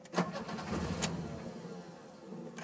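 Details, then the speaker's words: Car with a Spica mechanical injection pump, warm with the temperature gauge near 180: several cranking attempts with uneven bursts that never catch into an idle. It starts on a single crank when cold. The warm engine cranks but will not start. "there's attempt number one you see that light light up there's temp number two attempt number three we might be good we might not sometimes she decides to catch"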